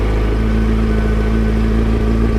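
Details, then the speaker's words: Yamaha FZ1 naked, 1000cc four-cylinder, just started first time after checking the kill switch, clutch in: an even, steady idle with a firm low pulse and no knocks or misses, running clean and healthy. "and there we go bike started first time"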